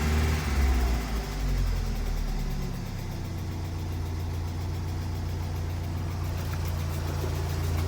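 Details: 1992 Mazda Miata, first start after cracked radiator and suspected blown head gasket (no water in oil): deep steady idle with light quick tick; owner unsure if lifter tick or rod knock; oil pressure seems fine.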